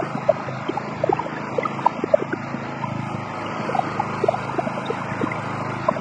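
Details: Wood chipper running after finally starting once the loose spark plug was properly attached: even low engine drone with light scattered ticks from the spinning drum, no misses or knocking; normal running.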